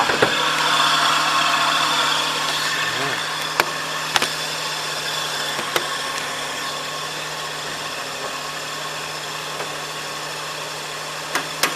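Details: 2006 Suzuki Wagon R: idling engine with a constant low growl and a rough, gritty hiss; with the fan belt removed, the noise was traced to worn water pump and A/C compressor bearings, alternator fine; both replaced.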